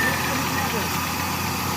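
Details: 2003 Toyota Corolla XLi after gearbox refitted with correctly installed clutch plate and burnt connector pin fixed: starts and holds a steady, even idle with a smooth low hum, no knocks, misses or surging; no-start fixed.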